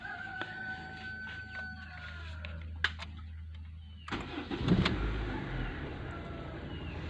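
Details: 2005 Honda Civic: about four seconds of low, steady cranking drone before the engine finally catches and runs; hard starting, cause unclear.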